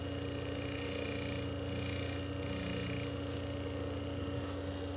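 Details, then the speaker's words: Century 1/4 hp 110 V induction motor with sleeve bearings and centrifugal fan, running unloaded: steady even hum, no rubbing or grinding; smooth normal run. "but anyways I'll go ahead and do a start here we go as you can see she's a very smooth Runner very"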